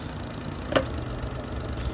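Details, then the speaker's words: Honda 30hp 4-stroke outboard after carb cleaning and water pump work, idling in forward gear, not overheating, weak tell-tale suspected clogged: quiet, even idle with soft steady putter, no knocking; normal idle in gear. "All right, that's idling in gear. Nice and quiet, quiet little motor. Running good."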